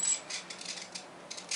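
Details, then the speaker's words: E-Flite Beast UMX 3D ultramicro plane, battery plugged in and armed: quiet bursts of tiny high-pitched clicks and buzzes in short spurts as the AS3X processor drives the servos in stabilizing corrections; normal. "now you're starting to hear the servos kind of clicking a little bit now listen that's the as3x processor trying to figure out just what the heck am i trying to do here"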